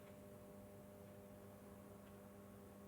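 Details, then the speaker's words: Urbis ZX3 400 W SON/HPS street lantern, collected brand new in its box, plugged in. Steady, fairly loud mains buzz from the magnetic ballast while the sodium tube warms up and turns pink: normal warm-up hum. "yeah there we go now can you hear it buzzing it's really quite noisy"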